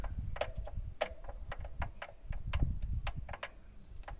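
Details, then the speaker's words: YuMZ-6 tractor engine with oil pan removed, connecting rods fine: sharp, uneven metallic clacks about four a second as the idler gear is rocked by hand; backlash in idler gear causing engine knock. "Я всё думал, откуда стук. А вот на этой паразитке люфт."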